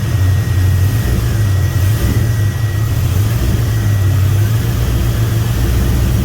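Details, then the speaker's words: 2000 5.3 LS swapped into a 1992 Chevy C1500 with standalone harness, idling: low, lumpy V8 idle with a wavering uneven beat; misfire as fuel pressure drops once the pumps get hot, new fuel pump suspected to be failing. "it's just the the fuel pump is starting to give out so even though it's new but we've been messing with it for a couple times so it could have probably burnt out during that time"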